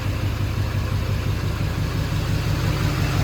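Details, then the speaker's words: Humvee HMMWV with Duramax LBZ swap after FASS lift pump install, first start: steady even diesel idle, smooth clatter about three beats a second, no knocks or misses. Normal idle. "I mean the engine sounds amazing it sounds just as it should so um we'll see from there"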